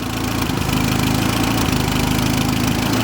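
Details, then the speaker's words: 1976 Fiat 124 turbo EFI conversion at idle, fuel pressure 43 psi, exposed timing belt: steady even idle hum, smooth beat, no knocks or chatter; healthy. "Actually runs really good. So it looks like it's running like 40 psi fuel pressure."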